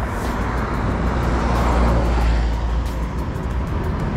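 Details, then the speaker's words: 48 V 500 W geared hub motor on an e-bike conversion, after repair of a rattle that appeared at 50–60 km, camera mounted on the frame: steady riding noise, low wind and road rumble, motor warm not hot, no rattle. "The motor is warm, not hot - everything is fine! There are still no extraneous sounds."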